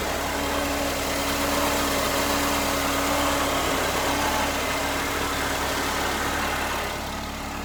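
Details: Mercedes SLK R170 2.3 litre supercharged four-cylinder, just after spark plug change, car long stood: smooth, even idle with a faint steady whine on top, no misfire or knock; running cleanly.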